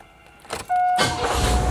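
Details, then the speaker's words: Carbureted engine with electronic Quadrajet, vacuum line capped, electronics disconnected and air cleaner off: short starter whir, fires first turn of the key and settles into smooth, steady idle, check engine light on. "But listen to that. It's running great with none of the electronics hooked up to it."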